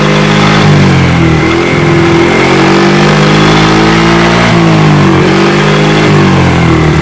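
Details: Fuel-injected automatic motorcycle that previously wouldn't idle or rev: the engine picks up cleanly with each throttle blip and revs freely without bogging.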